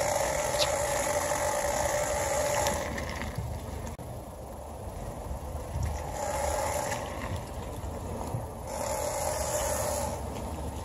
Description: its the CV boots that are making a rubbing/screeching noise on my 2017 Honda civic.